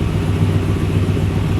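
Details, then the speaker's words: 1967 Chevrolet C10 with LS3 and GM hot cam, 4L60, Holley EFI: deep low rumbling idle with slightly choppy beat, lope added by tuning under/over spark tables; normal lopey idle. "soon as it idles down a second you can hear that nice little lope got that in there that's just a little extra tuning on the Holly on your uh under over sparkk tables on a tab"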